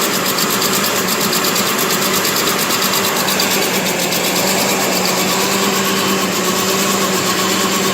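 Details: 2008 Chevy Trailblazer first start after sitting, salvage-yard transmission installed, idling with a quick, sharp ticking puff over the steady run: exhaust leak, suspected cracked manifolds; owner also suspects a bad coil pack.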